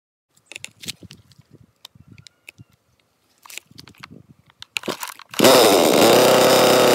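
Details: Chainsaw that wouldn't start, after cleaning/purging the carburetor with carb screws untouched: handling clatter, then catches and holds a steady, high, even buzz without stumbling; running normally.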